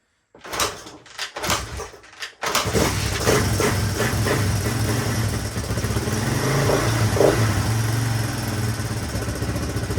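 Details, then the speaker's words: 1983 Honda XR200R single, sitting for years, fresh oil, first kick start: a few coughing catches then an even, steady idle thump with no cam chain clatter or valve tick; healthy, slight smoke likely from oil put in plug hole. "Leave it idle. Crazy. That engine sounds pretty quiet too. Not hearing the cam chain flopping around or valve."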